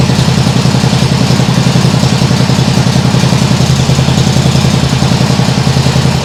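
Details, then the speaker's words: Nibbi G619 walk-behind tractor engine after carburettor work, throttle handle at its lowest position: even, steady low-rpm thumping that no longer hunts or dies, like a sewing machine; idling cleanly and much better than before. "doesn't that sound better yeah that sounds much better like a sewing machine that sounds great really great and the throttle handle is in in the lowest position I don't believe that it would do that"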